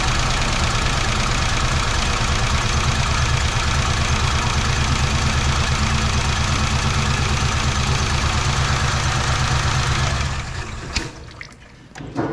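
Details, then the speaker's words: 2008 Chevrolet Impala SS 5.3L V8 after AFM lifter replacement for a bad lifter tick: even, deep, steady idle then shutdown, no strong tick; the new lifters took a while to pump up, and it cleared up when scanned. "with those new lifters took a while to pump up."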